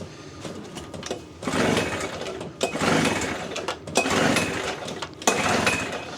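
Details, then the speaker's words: Small generator bought at a yard sale that won't start; key on, switch on, in start mode. Repeated rope pulls, each a rasping whir about a second long, and it never fires. Cranks but will not start; fuel, compression and ignition checks follow. "And it just does not start. So since it doesn't start, we're going to do some troubleshooting."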